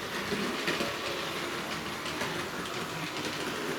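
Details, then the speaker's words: Hornby 0-4-0 model locomotive, not very powerful, pulling its train around the track and through a tunnel; steady rushing rattle with light rhythmic track clicking, running smoothly. "it's going around the back now said come out the tunnel up the other side listen that lovely noise doesn't that sound"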